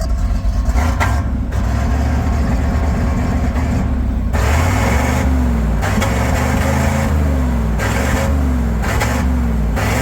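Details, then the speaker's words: Resurrected tow truck, under 3 minutes after an exhaust bung fix: uneven, loping idle with wavering pitch, problem already back; rough running from over-fueling, owner avoided buying new injectors. "Things been running less than what, 3 minutes? I came up here to drop off some wheels, it's already back to doing it again."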